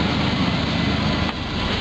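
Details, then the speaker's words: Safari van just after fuel pump replacement without dropping the tank: steady, even idle with no whine from the tank area; new pump is quiet where the old one was very loud. "holy that's quiet that's nice the other one was sounded like a tank it was so loud"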